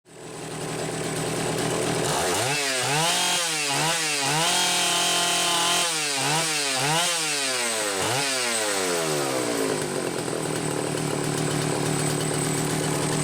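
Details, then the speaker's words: Homelite 750 chainsaw after piston replacement and clutch fix, bench-run about twenty minutes, carb deliberately set rich for break-in: two-stroke revving up and down, slightly blubbery loading up at full throttle, otherwise strong; normal running, rich mixture. "I've still got it set rich you could hear it load up a little bit when I went to full throttle I want it that way for break-in"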